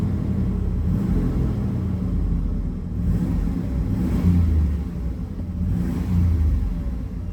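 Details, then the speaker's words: Cold 1996 Chevy Tahoe 4WD with a Vortec 6000 6.0L V8 at 179,606 miles, revved after a cold start. Deep rumble rises and falls cleanly over several blips with no knocks, rattles or stumbles; good oil pressure and charging, healthy. "all right let's give her some reps here reps revs here da da da da"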